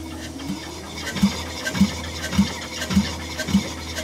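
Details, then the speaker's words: 2018 Nissan NV3500 van engine, about 60,000 miles, sludged from lack of oil changes, during a compression test while cranking: slow, even cranking with soft, weak compression strokes; one cylinder reads only 75 psi against about 200 psi on others. "only got like 75 lbs there let's try another one see what we get big difference also hear how much force you can hear how much more force that hole's got to it"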